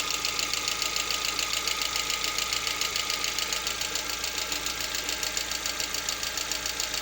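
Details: Lada Vesta, 64,000 km, idle around 50 °C during warm-up: sharp, regular ticking knock about two per second; absent cold, fades at operating temperature, source unclear.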